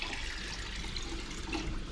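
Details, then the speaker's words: Boiler hydronic floor heat, barn start-up after thermocouple, vent damper, burner cleaning, new pilot assembly and expansion tank; soft steady rush of water with faint hiss, no banging, flowing through the manifold and down through the zones, normal flow. "seems to be flowing seems to be flowing through in here I can hear the water and it's going out here and going down through the zones"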